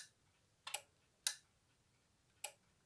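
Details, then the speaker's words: 1980s SAFT URA emergency lighting unit (BAES), 1x8 W, 2x6 V, restored: three sharp dry clicks as mains is unplugged, the internal relay switching to battery; working normally. "Et dès qu'on débranche, on entend un petit clic. C'est un petit relais qu'il y"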